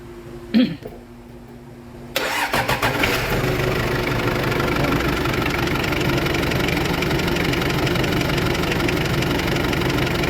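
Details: Toyota forklift that wouldn't start, with its battery indicator falsely showing green: after the battery is replaced with a 70 amp one (old one 50 amp), it cranks briefly, fires cleanly and settles into a steady idle, charging at about 13.8–14 V.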